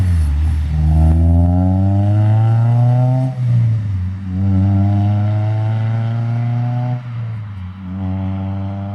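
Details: Acura RSX Type S with a new full Spec D cat-back exhaust, joined where it was cut and held by 2 of 3 bolts, so a leak is possible; deep, even tone climbing and falling cleanly with each rev; normal exhaust note.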